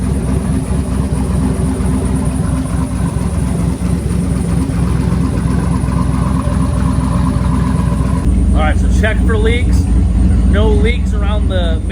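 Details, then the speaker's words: 2008 Silverado V8 on a lift after swapping shorty headers for stock exhaust manifolds and fitting a new eBay y-pipe/catalytic converter, first start: a deep, even idle burble with no ticking or puffing at the joints. Healthy. "it's sounding great I'm super happy with that to be honest that's awesome"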